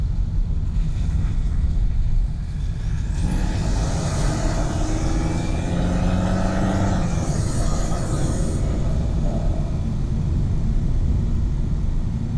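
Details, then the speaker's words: 2025 Mercedes C200 turbo engine while driving, mixed mics near the intake box and further into the engine bay: deep intake roar with a whistle rising quickly on throttle and fading off-load; healthy turbo spool with little lag. "You're hearing the song from close to the intake box, and then I had another mic further into the engine bay."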